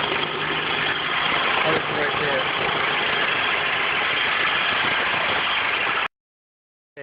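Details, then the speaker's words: 2003 Honda Accord, about 80,354 miles, idling as the engine cools: rough raspy whir over the idle that doesn't settle; owner suspects the alternator belt, long-standing, not confirmed. "now as the engine cools down the sound of the engine is a little bit different but this belt by the uh alternator making noise"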